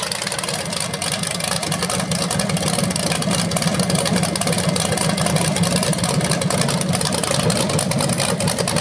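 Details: BluePrint 396 big-block crate engine for a 1970 Camaro SS, first run outside after oil priming and a timing check: steady, deep idle with a quick even beat and no knocks or ticks. It sounds healthy.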